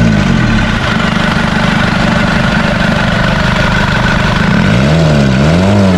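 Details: Isuzu D-Max 4GH1 diesel, converted to mechanical injection, idling after a new injection pump was fitted to fix hard starting. An even, steady clatter with no stumbles or dropouts and only a brief rev wobble near the end; healthy idle.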